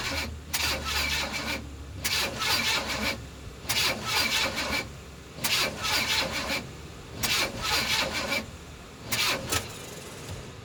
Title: Crank no start 1